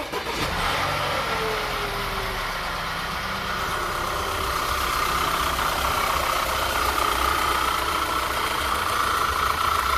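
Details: 2009 Audi A4 turbo after AMSOIL engine flush and oil change: steady, even idle with a light whirr, no knocks or ticks; engine sounds healthy.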